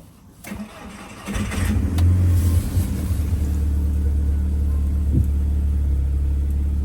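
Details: After replacing the part screwed on with a big spanner on a misfiring MK5 GTI TFSI (plugs, coil packs and an injector already replaced), the engine cranks briefly, catches, flares, then settles into a steady, even idle with no stumble.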